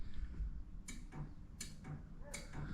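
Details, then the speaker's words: 1966 Corvette with 327 small-block, ignition on while checking electrics, horns disconnected: three sharp, dry clicks about three-quarters of a second apart; normal horn relay pulling in. "um horn no the horns aren't hooked up oh but you can hear the relay listen to this listen to"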